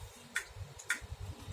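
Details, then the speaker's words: Acer Aspire One D255 laptop that won't boot ("no bootable disk"); three sharp ticks about every half second on power-up, owner assumes the hard drive. Hard drive clicking. "Dan gua asumsikan nih harddisk, pasti kalau udah bunyi cek cek cek gitu pasti harddisk."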